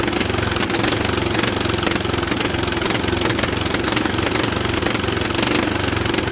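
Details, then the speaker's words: Old Bolens tractor (late 60s/early 70s), barn-stored for years, cranked; rough uneven chugging under heavy clatter, never catches; no fuel flowing through filter though gas is on, suspected blockage, not confirmed. "the gas has been on it's not one position i don't have any flowing through the filter yet this could be blocked up"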